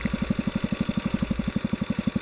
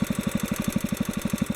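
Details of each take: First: Kohler K181 single-cylinder, carburetor adjustment: thumping about ten beats a second turns uneven and sags as the mixture screw is backed out past the stable point; lean mixture stumble, too far out. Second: Kohler K181 single-cylinder engine during carburetor idle mixture adjustment: an even thump at about seven beats a second with no hunting or surging, a steady healthy idle.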